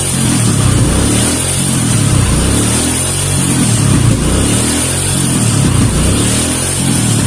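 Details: Kawasaki KLX 150 with vacuum carburetor, during vacuum rubber/carb setting: the small single revs up sharply on a light throttle blip and drops back cleanly. Crisp, healthy throttle response.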